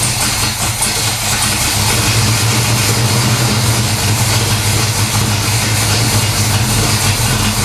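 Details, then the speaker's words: 1970 Pontiac LeMans 455 V8 with Quadrajet carb, first start after long sit following transmission rebuild (car had stalled in Drive/Reverse, fluid silver): deep, steady V8 burble at idle, even, no knocks or misses; healthy normal idle. "so i think sounds awesome all right so it starts it runs"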